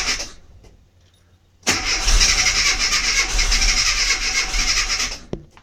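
Starter spins steadily for about three and a half seconds, but the engine never fires or catches: a crank-no-start, cause not yet found.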